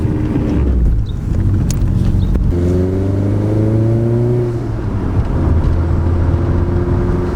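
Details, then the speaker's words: Daily-driver turbo car on a test drive right after a big boost leak and exhaust leak were fixed: the engine pulls cleanly, its note rising smoothly with revs and no hiss or flutter under load. It holds boost normally. "[Music] it holds boost this thing drives great now"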